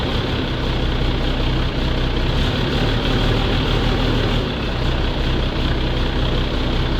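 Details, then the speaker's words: Volvo truck diesel started in the garage after a coolant refill: steady, deep idle with a loud raspy blare that never settles, from exhaust leaking through a holed muffler. "запустилась глушитель дырявый и находиться в гараже Нереально"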